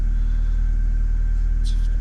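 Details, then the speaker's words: VXR daily after fixing an exhaust blow from a cracked manifold with a spare manifold and new gasket; smooth, steady low idle with even pulse, no ticking or puffing, normal idle. "A crack there in the manifold. Now she runs absolutely sweet as a nut."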